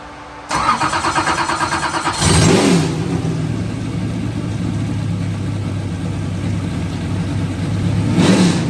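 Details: 2003 Ford Taurus NASCAR stock car, Roush Yates carbureted V8, first start after oil system work: cranks briefly, catches cleanly, two sharp blips over steady lumpy idle; strong ignition, runs properly, carb working without cleaning.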